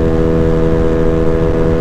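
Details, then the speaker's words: Honda Ruckus scooter after a CVT belt and throttle cable change, cruising around 44–48 mph, about 8,800 rpm at 44, lower than before: smooth even drone, less revved-up tone, no surging or slipping; healthy. "Like, I can even hear it when I'm riding. The tone is not as revved up as it was before."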